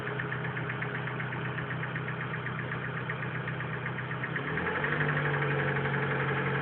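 Car idling with a steady, regular ticking knock over the engine hum, about four a second; an odd noise with no clear cause.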